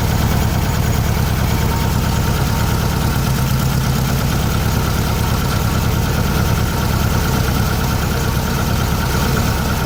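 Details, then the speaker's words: 1600cc VW Beetle fitted with a remanufactured 1986 Suzuki Samurai 1.4L distributor (Spectra Premium) after retiming: steady, even low idle with smooth rhythm, no misses or knocks; running cleanly with a bit more oomph. "there you go well she's in there it seems like it it's got a bit more oomph to it"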